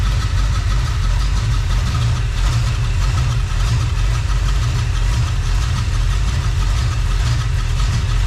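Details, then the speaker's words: Freshly rebuilt small-block Chevy 350 (roughly 355) on its first run, not yet warm (under 120, about 69 lb oil pressure): a loud, smooth, even V8 idle around 750 rpm with no knocking or ticking. Normal idle. "look at that fantastic idling in about 750"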